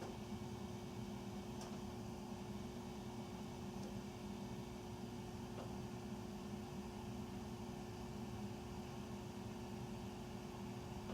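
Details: Furnace running after 10 PM (08-20-14), heard through the main duct across three levels and recorded here in the utility room. A constant loud roar with a steady low hum and an even mid tone; the furnace is noisy and the cause is unknown.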